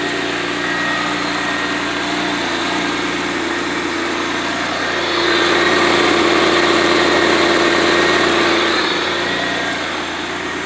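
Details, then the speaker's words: 1991 Pontiac Firebird 3.1 V6 after replacing the loose, worn smog pump with a new/refurbished one: even, smooth idle with a steady mid-pitched drone, slight lift mid-clip, no ticking or knocking; much quieter. "Much better. A lot quieter. A lot quieter."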